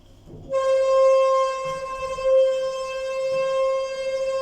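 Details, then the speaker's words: Inside the DMG-fitted modernised lift at Metrocentre coach park, car travelling up: loud, steady, alarm-like high squeal at one pitch all ride, far worse than its earlier slight squeak; condition has declined, likely left unrepaired pending replacement. "That is so loud. It sounds like an alarm almost."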